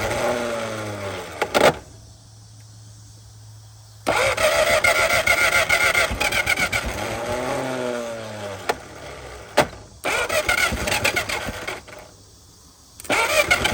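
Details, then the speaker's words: 1950 DeSoto inline six first revival run, fuel poured down the carburetor throat into the manifold: catches and stumbles in uneven, lumpy bursts, sounding not firing on all six; owner suspects debris lying on the plug wires, cause unconfirmed. "Doesn't run good, but it runs. Thing sounds like it ain't hitting on all six, but it's running."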